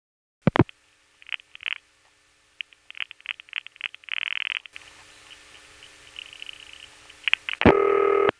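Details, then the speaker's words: A New York call via Gotham tandem in 1975-77, during the pause after the Gotham-Brooklyn tandem digits: after a loud tone, faint, rapid, regular clicks are heard, which is normal panel revertive pulsing in the background. "During that pause, you can hear panel revertive pulsing in the background."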